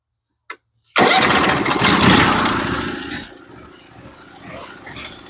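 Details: Norwood HD36v2 bandsaw mill engine: a short crank, then it catches at once and settles into a steady, even idle; a healthy start.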